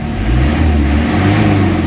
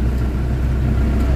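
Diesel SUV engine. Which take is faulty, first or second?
second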